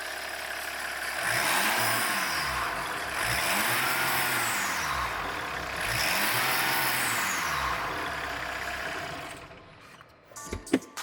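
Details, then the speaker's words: Diesel with 174,000 km mileage, whistle on throttle blips: three blips each bring a thin whistle rising and falling with revs, turbocharger whistle; the turbo is then removed to find the cause. "А сейчас у него свистит. Ну, как свистило до этого, так и продолжает свистеть."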